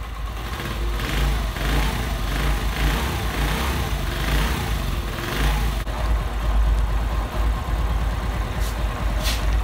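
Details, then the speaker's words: Honda 70 motorcycle single-cylinder after tappet (valve clearance) adjustment with feeler gauge: steady even low putter, no tappet clatter, valve train quiet and smooth; normal idle. "और फिर difference है बिलकुल smooth हो चुकी है bike है"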